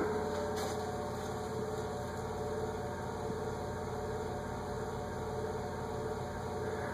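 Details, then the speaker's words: Nutone PF-52 friction-drive verandah ceiling fan on first speed: steady low hum with faint even ticking, more noise than airflow, though it still moves a fair amount of air; normal running. "although the first speed seems to be more noise than anything I'll show ya"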